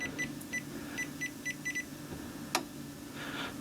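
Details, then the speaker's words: Aninerel 6.2 kW PRO hybrid solar inverter in a quiet room gives a run of short, high beeps as it resumes operation once battery voltage rises to 56 V after a low-voltage shutdown; a normal restart signal. "56 В і інвертор знову відновив свою роботу."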